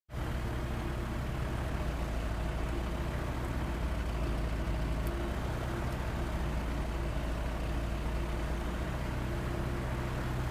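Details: Sky Arrow aircraft engine at idle: deep, heavy idle with an uneven, lumpy beat that never settles into a smooth rhythm; rough idle.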